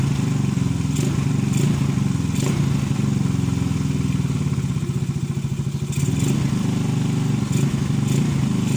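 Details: Motorcycle single-cylinder engine that starts hard because a sunken valve is leaking compression: it runs but sounds uneven and labored with irregular thuds.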